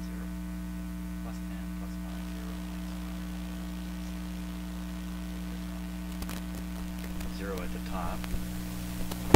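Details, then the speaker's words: Traynor 8/201 analog mixer under test, microphone input, sub 1 and master output up: steady low hum with a faint buzzy overtone, unchanged by level; mains hum on the output, owner suspects the mixer, not confirmed. "To me, that sounds pretty similar to my regular sound system, plus a hum."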